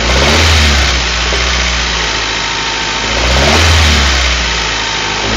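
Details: Honda Prelude H23A1 engine revving up and settling twice, with a dull knock rising with revs; possible wrist pin knock, not confirmed.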